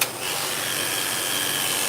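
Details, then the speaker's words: Clipper tested after blade sharpening: steady, harsh, high-pitched buzz, much louder and raspier than it should be; very noisy clipper. "You hear that? Very noisy."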